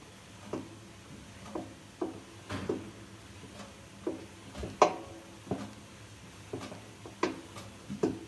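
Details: Samsung washing machine: dull, uneven thumps roughly once a second as the drum turns slowly; knocking started a year ago after drum spider replacement, now slightly louder; owner suspects bearings, unconfirmed.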